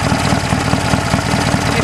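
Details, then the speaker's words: Heavily modified BSA A10 twin at idle with two one-way Bunn valves replacing the timed breather: steady thump with light quick clacking on each beat; breather valves working normally. "system works really really well you can hear them clacking away on the video you can certainly him if you put your head closed enough to hear them clacking away"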